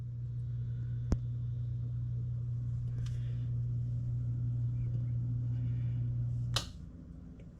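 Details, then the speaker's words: Refrigerator compressor hums steadily for a few seconds, then cuts out with a small click and repeats; short cycling, most likely from a faulty starter relay that needs replacing. "it went off with a little click the reason it goes off the reason it goes on and off and it clicks is because most likely this piece went off as they start they started really the starter really one goes off"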